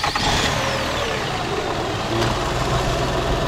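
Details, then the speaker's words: 2006 Toyota Sienna LE 3.3L V6 after radiator fan replacement: engine catches and idles, both cooling fans come on with a steady airy rush, no rattle or grinding; normal fan operation. "Both came on. I know what time it is. Yeah, I see what time it is. Yes, sir. Both of them came on now."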